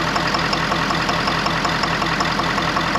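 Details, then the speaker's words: 2011 Ford F550 6.7 Powerstroke diesel that keeps blowing its return lines, no codes, with a skip when cranked: a sharp, regular knock at about 160 per minute over the idle. A failed injector is suspected. Injector knock. "sound I believe what that sound is is an injector has spiled"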